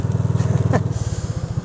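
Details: Gator utility vehicle fired up after a near-death mishap to check for damage: an even thumping idle at roughly seventeen pulses a second with no stumbles or rattles. The small engine is running fine.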